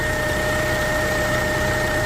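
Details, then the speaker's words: 2012 Toyota Camry, idling with headlights, flashers and heat on, voltage dropping from 12.5 to 12 V: steady, strong electrical humming whine that grows under load; points to a failing alternator. "so if you see your car humming most like it's your alternator"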